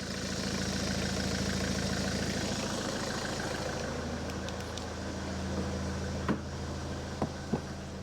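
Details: Ford S-Max 2.0 TDCi diesel, 2010, about 80,000 miles, idling after a fuel filter change and priming. Steady, even clatter with no hunting or stumbling, a few door clunks near the end, hasn't cut out, no leaks: normal idle.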